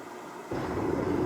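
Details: Sunfire heater switched on after priming: delay, igniter and fan run, then a sudden whoosh into a steady deep roar as the flame catches, with normal puff of black smoke on startup; clean light-off.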